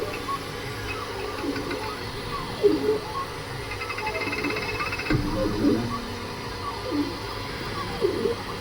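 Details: Creality K2 Plus 3D printer, about a week of use, firmware updated 2025-05-01, printing unusually slowly (owner unsure if print setting is why): rising and falling motor tones sweep with each move, soft clunks at direction changes; owner thinks it sounds different, cause unknown.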